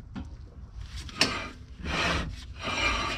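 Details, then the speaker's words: Mk3 Jetta VR6, wheel off, turned by hand: repeated raspy scraping swishes of a dragging brake; wheel bearing and ball joint checked fine, owner suspects the rebuilt caliper is seized and not releasing, possibly a warped rotor. "if you turn the wheel you can hear it it seems like the caliper is like seized up and it's not releasing"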